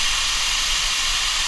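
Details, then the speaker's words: Air compressor regulator: loud, steady high-pitched hiss with no letup as air escapes continuously; owner suspects a blown gasket or rubber diaphragm; air leak before repair. "But, yeah, it's about time I fix this because this is annoying. You can hear the hissing on half my videos and stuff."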